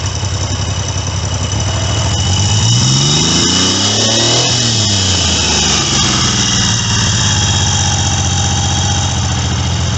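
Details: Triumph T150V triple after top-end rebuild (heads and cylinders off for oil leaks), started second kick: loud even idle beat with clean rev blips rising and falling smoothly, no knocks; healthy.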